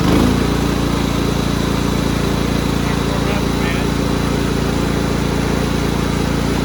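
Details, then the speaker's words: Cub Cadet rider's 16 hp horizontal-shaft Kohler, warming up on very dirty old oil before an oil change: settles into a steady, even putter with no misses or knocks. Clean, healthy idle. "i don't want to run it too long this oil is disgusting but it runs great now"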